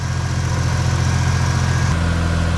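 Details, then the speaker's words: Mazda RX-8 rotary after long storage, full of oil and very smoky, finally started: steady low idle hum with an even beat shifting tone partway; runs, but engine health unknown (maybe burning off oil, maybe worn). "So it starts. It sounds alright to me. Yeah. Eventually started. It's pretty smoky, as you can probably see. But it hasn't run in ages, it's full of oil. This could be fine."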